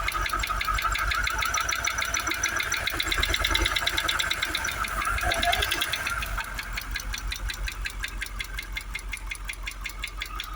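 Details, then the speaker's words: Jaguar XKR supercharged V8 at idle after new coil packs and spark plugs (water and silt found in one bank's plug wells): steady ticking knock about three beats a second remains, bonnet vibration reduced, supercharger whirring and needing service. "Now the knocking's still there. The bonnet's not vibrating like mental, like it was before. But we still do have that ticking."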